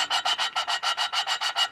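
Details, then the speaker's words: Small block Chevy aluminum head, valve replacement after bent valves: lapping a valve with compound gives a quick gritty back-and-forth rasp, still coarse; keep lapping until the sound turns finer, as the seat is not yet finished. "Hear that sound? You want to do that a few times till it gets to a real kind of a finer sound."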